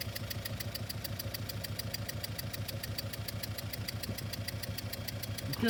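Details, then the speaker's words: Idling engine recorded by microphone, with the scope triggered from ignition: sharp puff about three times a second on each firing of cylinder three, where a small compression leak was deliberately opened; it causes a steady, loud misfire that the waveform identifies. "I got a little the compression is it's misfiring but it's also acoustic it's loud so we we inferred from our waveform on the scope that uh it is Channel free that is our our problem child"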